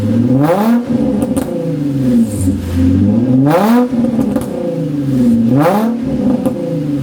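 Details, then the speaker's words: Nissan 350Z with roughly stock exhaust but muffler disconnected: loud raspy, harsh unmuffled blare rising and falling with each rev as exhaust escapes; used Marketplace mufflers to be fitted next. "That's what it sounds like with that exhaust. It's pretty much, I think it's pretty much stock exhaust, but no muffler, because obviously the muffler is not connected."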